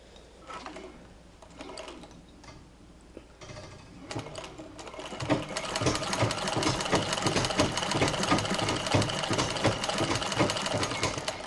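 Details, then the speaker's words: Singer treadle machine fitted with a Singer 237 head; rapid clacking knock about three per stroke-second tracking the pedal over the machine's hum, from the pitman rod joint, which the owner cannot adjust. "Now that noise that you hear on my treadle is actually the, down here, this is the Pitman rod, and it sits in here, and believe me, I can't adjust it."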